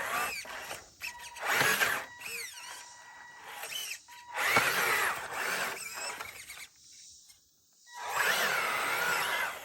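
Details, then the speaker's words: FMS 1/6 Jimny scale RC crawler with stock electronics, climbing on a trail: bursts of high whine rising and falling with throttle plus servo buzz; the whine is from the ESC, which the owner plans to replace with an ISDT ESC. "that was awesome so the main thing you probably noticed with this truck is just all the noise all right like you hear the servos you hear the wine of the ESC and so that's something I'm going to try to clean up"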